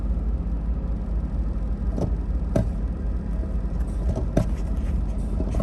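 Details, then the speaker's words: 2000 Lexus GS 300, 115,000 miles, check-engine light on, tends to stall when braking: uneven, lumpy idle with irregular thumps and dips, nearly stalling. Scan shows P1349 VVT system fault bank 1. "oh whoa oh it's running like crap now how about that that was weird"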